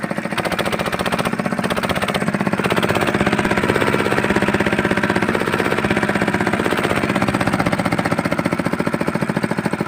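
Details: Fitter diesel engine pump after bleeding air from the fuel system: loud, steady rapid knocking around four beats a second, even and sustained; single-cylinder diesel running properly.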